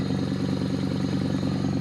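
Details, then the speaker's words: Toyota Corolla at idle, heard from underneath: raspy pulsing puff at each firing over a steady idle; exhaust leaking at a broken flex pipe. "the flex pipe is broken um so it kind of sounds really bad so let me get that for you real quick"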